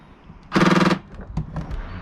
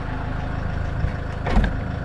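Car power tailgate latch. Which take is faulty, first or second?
first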